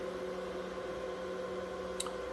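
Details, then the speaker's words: Used L3+ ASIC miner with cleaned hash boards, new cables and new cooling fans, on test: steady low whir with a soft even hum, no rattle. Temps stable and very low, so fans spin slowly; normal low-speed fan operation. "As you can hear, because the temps are really stable, I mean very low, so the fans are not really spinning that fast, which is really good."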